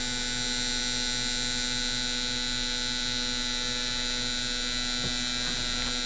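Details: Mr Cartool injector tester running four gasoline fuel injectors at half pulse width: rapid uniform clicking over mains-like hum, steady throughout; injectors cycling normally.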